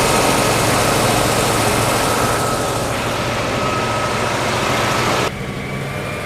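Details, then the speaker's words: 1956 Oldsmobile 88 V8 running after long storage, with the fuel line fixed and the battery charged. It runs smooth and even with fan hiss and no misses or knocks, and the idle is slightly high. Owner suspects an earlier stuck valve and oil not yet cycled. "It's probably just oil hasn't cycled for a really long time, but sounds like it runs pretty good. The idle sounds a little high."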